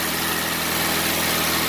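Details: 2000 Mitsubishi Lancer Ralliart after no-start repair (no power to fuel pump or injectors); smooth, even idle with no stumble, surge or stalling; sounds healthy.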